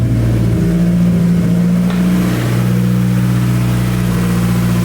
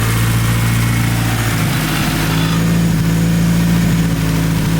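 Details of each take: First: Big-turbo Hyundai Genesis Coupe back running after sitting in the garage: deep steady idle with even low rumble and no misses, knocks or rattles; healthy normal idle. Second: Big-turbo Hyundai Genesis Coupe at idle: lumpy idle with a loose part tapping irregularly against a pipe; owner says it's hitting the pipe and needs a bracket to hold it clear. Exhaust pipe contact rattle.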